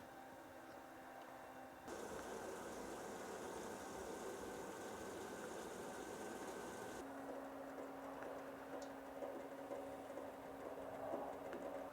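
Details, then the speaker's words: BougeRV portable propane water heater on one-pound propane bottles, unboxed and tested: after a quick tap a quiet hiss, then the burner kicks in with a steady, even roar that lights at about two seconds and holds smoothly; normal burner ignition and operation. "now we'll do a quick tap and now it's heating you could hear the burner kick"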